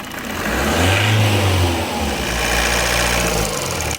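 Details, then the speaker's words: Car in the workshop, reported to make a noise when changing gears in 1st, 2nd and 3rd: the engine revs up and falls back, and an extra rough sound rises as the revs drop; source not yet pinned, cause suspected, not confirmed. "Valica: it makes a noise while changing gears ... A bit in the 1st, a bit in the 2nd, a bit in the 3rd ... When the revs are going down, there's a sound co"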